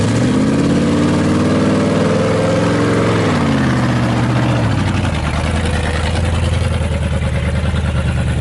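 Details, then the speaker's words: Truck with a deep V8 labouring unevenly under load, pitch sagging and surging; owner says it has been running rough, spark plugs were checked, and suspects it isn't getting enough fuel, unconfirmed. "But the truck has been running a little rough. When we pulled out the Tahoe, you might have heard it. The truck just sounds like it's not happy."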